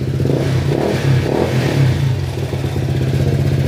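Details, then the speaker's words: Honda ADV160 scooter with rebuilt top end (sold as super stock, found ported with stock cams, new head, tensioner oiled), loud pipe, odometer 37 km: revs up and down, top end quiet with no ticking; normal, to be rechecked and adjusted after bedding in. "Naka-pipe siya mga sir, kaya parang kala nyo medyo maingay pa."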